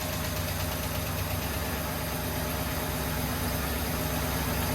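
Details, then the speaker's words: 1972 International 1210 pickup, long-sitting, first start with fuel fed in, ran about 30 seconds; quiet, steady idle with an even beat and no knocks or misses; engine sounded fantastic; normal idle. "But man, the engine sounded fantastic."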